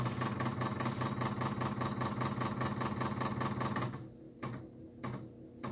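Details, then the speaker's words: Commodore 128D under restoration, internal floppy drive reading unhappy disks. Fast, even mechanical ticking at about 2.5 per second, then a few spaced clicks: abnormal drive noise, which the owner later doubts caused his problems. "so along the way I started noticing some odd noise coming from the floppy drive like this you can see these discs aren't happy and neither is that drive"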